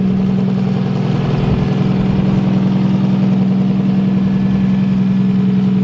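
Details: Nissan S13 engine at start-up, intake air temp reading 20°C: steady, even idle with a smooth low throb, no ticking, misfire or exhaust puff. Vacuum seems good, it is warm enough, and it is running healthy.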